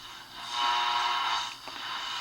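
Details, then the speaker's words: Ross radio after re-cap and repair, with a tuned RF stage and a three-gang tuning capacitor: only hiss and faint swishing across the dial away from the local station; weak reception. "you can hear it doesn't pick up much of anything now"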